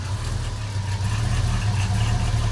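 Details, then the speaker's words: 1989 Chevrolet S10 pickup with V8, 2.5-inch exhaust through two mufflers, idling around 600 rpm, running a little rich, possibly on old fuel: smooth, even low rumble with no ticks or misses; normal idle. "I guess I could start it up so you can hear it. She's pretty quiet."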